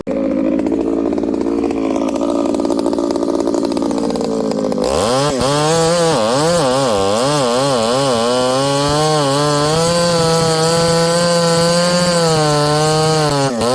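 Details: Ported Homelite 922 chainsaw after clutch and fuel line repair and a cooler heat range plug; the high two-stroke scream dips and recovers as it bites into hard wood with punky spots, pulling strongly and evenly; normal running under load.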